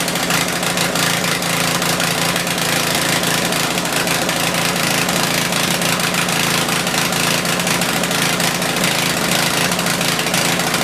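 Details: Tecumseh generator, believed 4,000 W with 8 hp engine, sat unused about a year, started on choke and running under a small drill load with a meter checking output; steady, busy small-engine drone with a fast even beat and no dips. Normal running under load, speed possibly slightly high.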